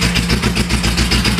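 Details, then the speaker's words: Renault Trafic van just restarted after 23 years on a makeshift homemade exhaust: deep, loud, lumpy, uneven chuffing at idle through a poorly silenced pipe, spitting black smoke, with the exhaust manifold smoking as moisture burns off. "Ouais, il fait quand même pas mal de bruit hein."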